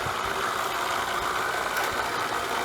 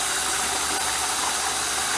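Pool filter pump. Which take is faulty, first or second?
first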